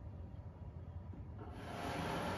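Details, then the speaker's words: Pure Enrichment air purifier, about four years old, running: a low rumble gives way to a loud rushing fan roar, far noisier than these normally quiet units; fan motor with dry bearings, fixed by lubricating them. "so you can see it puts out quite a bit of noise and these units are known for being really quiet"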